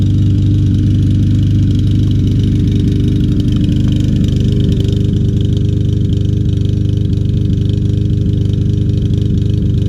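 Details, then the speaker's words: Troy-Bilt TB200 mower, 150cc Briggs & Stratton engine, just after carburetor cleaning and fresh gas: small single-cylinder thumps unevenly, stumbling and struggling. Rough running with engine miss, cause unclear. "that's struggling but it's running i'll let it run a while see if it smooths out"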